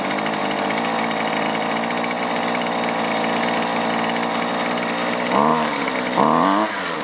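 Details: Husqvarna 128LD trimmer that wouldn't start, running after new fuel lines and fuel filter fixed fuel not reaching the carburetor; a high, steady buzzing rev holds clean without stumbling or surging, healthy before the low- and high-side carb adjustment.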